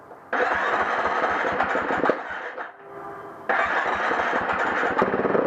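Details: KTM 350 XC-F (2011) hard starting: two long spells of cranking with ragged, uneven firing that never settles into an idle.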